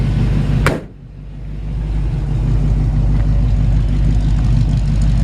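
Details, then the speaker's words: 1951 Ford F-1 truck, engine still cool, idling with a steady, even low burble through its new dual exhaust, smooth with no knocks. "new dual exhaust it really just purrs like a kitten"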